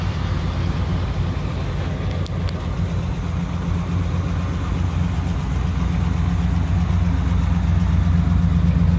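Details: 1959 Chevrolet Apache 3100 step-side pickup, first run in over 20 years of sitting with a fuel leak noted: even, deep burble at about four beats a second, slowly building while idling and revving, steady without misses; healthy.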